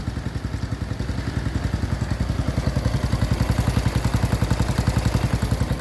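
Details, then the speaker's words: Honda Wave 110i after rebuild (cylinder rebored, new piston and rings, valves, cam chain and chain roller) for a worn engine with noisy cam chain: even exhaust pulses picking up slightly, no rattle or chain clatter; smooth, healthy running. "ก็เรียกได้ว่าตอนนี้นะครับก็นิ่มนะครับครับวันท่อก็ไม่มีอะไนะครับอ่ะก็โอเคนะครับ"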